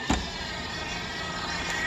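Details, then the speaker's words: Dolphin S300i pool cleaner on self-test after the impeller was cleaned: steady, even impeller motor whir with light clicks and no grinding; the drive on one side sounds like a skipping belt and its gears are worn. "i can hear the impeller running sounds like skip and belt on this side"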